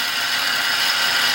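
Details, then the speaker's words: 2004 Toyota Tacoma, 3.4 L V6 5VZ-FE, engine running, heard through a stethoscope on the pulley bolt and mount; a harsh, constant gritty grinding with a ratcheting edge from a bad AC tensioner/idler pulley bearing, not the water pump; a replacement part has been ordered. "So I was thinking, oh, it could be the water pump. But it's right here. This pulley is bad."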